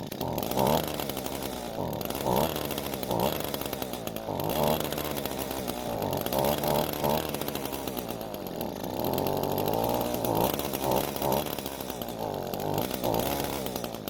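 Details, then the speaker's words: Free curbside Echo two-stroke string trimmer after turning the carb adjustment screw counterclockwise and adjusting idle screw: buzzy engine keeps sagging and picking back up every second or two, surging and near stalling, won't hold idle; next step removing carb. "now even though it stayed running a bit longer it's still not wanting to idle"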